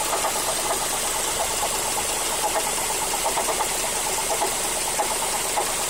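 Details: Mazda3 GT 2.0 at idle: light irregular ticking knocks about once a second from the engine compartment, synchronized with engine RPM; source unclear, engine or another component, owner suspects the A/C compressor clutch.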